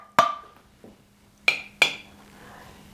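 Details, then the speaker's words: Home-canned carrot jars under Tattler reusable lids, nearly four months after canning with 28 of 28 still sealed. Three sharp taps each give a bright, clear ring. A properly sealed lid. "All right, so We still have 28 out of the remaining 28 that are sealed, and we're coming up on 4 months."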